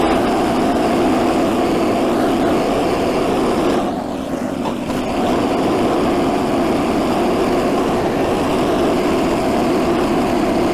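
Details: Stock Predator 212 single-cylinder swapped into a 1984 Workhorse GT100 tractor, driving the factory PTO mowing deck: a steady, even drone holds its pace under mowing load with only a brief dip, and the engine pulls healthily.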